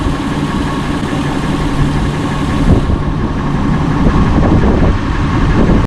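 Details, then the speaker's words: 2002 Honda Accord coupe V6 idling after timing belt, water pump and radiator replacement, during coolant refill with distilled water flush; owner hears nothing abnormal, smooth even low idle with no ticks, knocks or whine, running good. "So so far so good. And look you hear you I hear nothing. It's running good."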